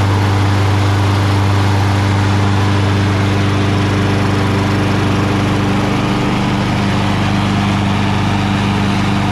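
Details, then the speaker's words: Craftsman mower, Briggs Quantum 6.75: after fixing the choke flap, tightening the loose choke spring and blowing out the carb holes, steady even drone with no misses, surges or knocks; running well. "Blew the holes out a little bit, because it does run pretty well, right?"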